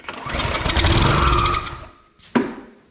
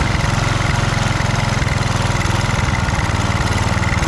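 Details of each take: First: Husqvarna HU 625 HWT string trimmer: engine catches and buzzes about 1.5 seconds then dies; ignition fine, carburetor not drawing fuel, fuel starvation. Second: Husqvarna HU 625HWT four-stroke string trimmer, a non-runner, started after priming with the air cleaner refitted: putters along at a steady low pitch with no knocks, rattles or scraping; sounds healthy.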